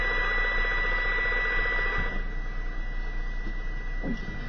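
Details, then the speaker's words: CB radio receiving interference on channel 29, splattering onto 28 and 30, from a neighbor's house: steady high tone with rough buzzing pulse two or three times a second; suspected plant grow lights, not confirmed. "I'm close to a neighbor's house that's emitting this pretty loud sound a little bleed over on the 28 but it's really originating from 29 Channel 29."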